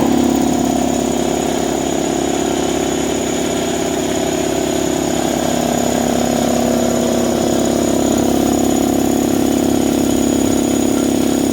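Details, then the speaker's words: New Draper 150 L belt-driven 2.2 kW 10 bar air compressor after 10 minutes running, air still escaping, pressure not building much, oil level fine and clear: steady pump beat about three per second with airy hiss, no knocks; running normally. "Right guys, so it's been 10 minutes now. As you can hear, the air is still escaping. So it ran well. The pressure didn't build up too much."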